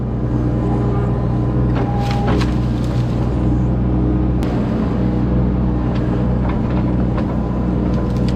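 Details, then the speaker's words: Kubota U25 mini excavator curling the bucket against the hydraulic thumb: steady diesel drone with a brief mid-pitched squeal and clunks as the thumb releases pressure; normal hydraulic thumb relief. "Y'all probably wondering what that noise is right there when I was curling the bucket. What that is, that's the hydraulics on the hydraulic thumb there."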